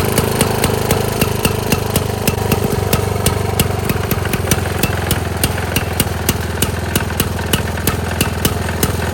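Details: 1922 Neracar motorcycle, 200cc single-cylinder, running after kick-start: thumps along at a fast, steady beat, each firing crisp and regular, no misses or clatter; normal running.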